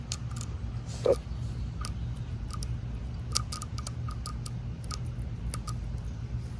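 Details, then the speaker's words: Small 12V submersible pump rated about 1000 gph, wired straight to a solar panel with no battery: faint hum with sharp irregular clicks, maybe sparking, as the motor tries to start but won't turn; likely draws too much current for solar. "And I can hear it clicking in a pump that is trying to start turning, but it won't. That means that it's definitely not good pump for solar, even though same gallons per minute like that one."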